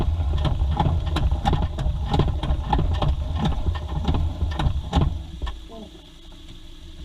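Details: Mazda 2 idling steadily with a sharp, even knock about three times a second over the engine note; internal engine knock at idle of unclear origin.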